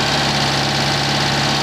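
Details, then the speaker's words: Citroen 2CV at idle after engine overhaul and 120 miles, microphone aimed at exhaust pipe clamp: loud hissy puffing chuff over low engine note, an exhaust blow at the clamp with soot marks. "Yeah, I've got a blow on this clamp here, which if I point a microphone at it, you'll be able to hear."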